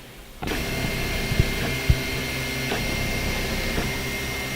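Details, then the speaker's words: Stock Anet A6 3D printer with constant fan hum under loud buzzing stepper-motor tones and faint ticks; excessively noisy before noise-reduction mods such as Drylin bearings. "so this is the in it a6 3d printer in like you can hurt the stock one and it's making questions lots of noise"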